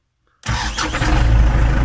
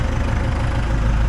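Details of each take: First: New warranty-replacement reduction starter on a stone-cold MTZ-82 tractor diesel, battery 12.3 V dropping to 10–11 V while cranking: rising whine over rapid cranking before it catches and idles steadily; owner finds the starter howls unusually. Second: MTZ-82 tractor diesel started fully cold with a new warranty-replacement 4 kW gear-reduction starter; battery 12.3 V dropping to 10–11 V while cranking. Owner finds an unusual whine at start; it then settles into an even, clean idle. Normal cold idle.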